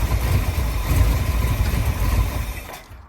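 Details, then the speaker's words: 1965 Ford F100 on 1974 highboy chassis, V8 supposedly a crate 390, fuel smell in the oil: lumpy, stumbling idle before timing adjustment, then it dies; rough idle, cause unclear. "as you can see, it ain't running real great. I'm gonna see if I can adjust the timing a little bit."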